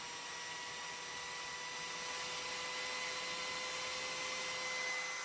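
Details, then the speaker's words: Philips hand mixer after regreasing with Vaseline for lack of lubrication: smooth, even high-pitched motor hum with steady whine and no rattle or scraping; normal run. "and this is as beautiful as sound as you can ever get out of these things"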